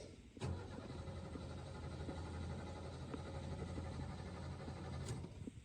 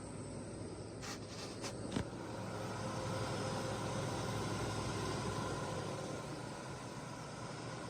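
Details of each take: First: 1985 Ford F150 4.9 L inline-six 4x4 carbureted, unstarted for about two months: starter churns at an even beat for about five seconds without catching; extended cranking after sitting. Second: 1985 Ford F-150 4x4 XL, 4.9 L inline six, after sitting a couple of months, smog pump disconnected: a few clicks, then steady low idle that swells slightly and settles; running evenly without knock.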